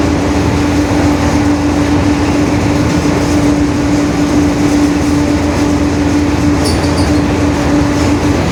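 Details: 2021 Marcopolo Torino S bus on a Mercedes-Benz OF-1721 BlueTec 5 diesel chassis, at cruise inside the cabin: steady mid-pitched hum over heavy road rumble; rear differential whine (roaring differential).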